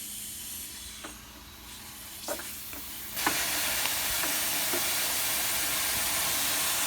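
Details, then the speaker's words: Mini Cooper Clubman AC after repairing a refrigerant line worn through by the axle: steady high hiss as refrigerant is charged into a system with almost no pressure. "there's practically no pressure so we're gonna start filling it up"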